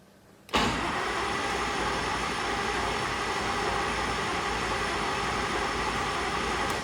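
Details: Rotec R2800 radial engine on an Aerolab LoCamp, first start after long-term storage: starter engages abruptly with steady even whir and rattly churn, not firing yet, fuel pump and both mags on, cranking to build oil pressure until green light; normal.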